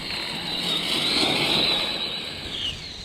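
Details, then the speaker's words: Redcat Kaiju EXT RC truck on 3S, second run: high-pitched gear whine rising and falling with throttle over the motor's rush, losing speed; pinion mesh has become too tight though believed locked down. "man that has gotten even tighter yeah am losing speed because of that pinion being too tight i was knew i was hearing it being loud"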